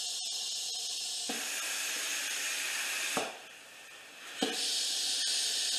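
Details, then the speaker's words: 2013 Dykon Express scooter with a tire off its bead and dirt in the rim being aired up: a steady high airy hiss that briefly drops off then resumes as air escapes past the unseated bead, likely why it was abandoned. "first thing I want to do is get this tire to air up it's off the bead I believe that's the reason why they stopped riding it"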